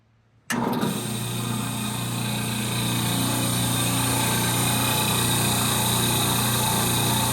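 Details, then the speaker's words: 1930 Gilbert & Barker model 106 clock-face gas pump after a WD-40 restoration, switched on to prime: the motor kicks on after a pause and settles into a smooth, even hum with a steady low drone. Normal motor running. "motor sounds super smooth. Woohoo!"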